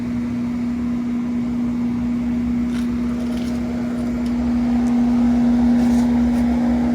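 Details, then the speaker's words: Walk-in cooler condensing unit on a convenience store roof: compressor running with a steady hum and a faint hiss. Refrigerant was leaking where the discharge line had rubbed through. "so let's see the guy on the phone said it had rubbed through he thought a flex had ran through uh rubbed through a pipe [Music] i might bump the pressure switch see if i hear it pissing"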